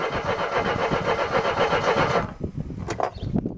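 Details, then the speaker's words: Mercedes W123, after fuel line replacement with petrol confirmed: two seconds of steady starter churning at about four beats a second with no catch, then it stops. Cranks, no start. "I know there's petrol, it just threw petrol over the engine. Come on, car! It's not even trying, is it? Come on, car!"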